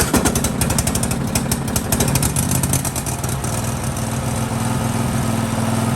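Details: Husqvarna LGT2554 riding mower, Kohler Courage 25 hp single-cylinder, after repair inside the carburetor, under the plate, for surging: holds a steady, even beat with no hunting or surging, running smoothly as never before.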